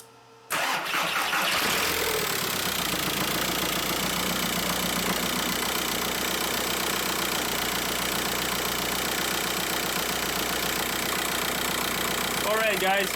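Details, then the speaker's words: VW Beetle 1.9L diesel, first start after timing belt and water pump replacement: catches right away and settles into an even clatter at steady idle with no misses or knocks, no dash lights; the engine runs fine. "so as you guys can hear the engine is running the engine sounds good"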